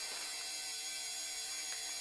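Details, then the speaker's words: Dell OptiPlex GXa 266 MHz beige desktop at power-on: thin, rasping high whir with steady whistling tones and no low end; a fan running noisily, which fan and cause unconfirmed. "I wonder what it's upset about what fan is actually making that noise"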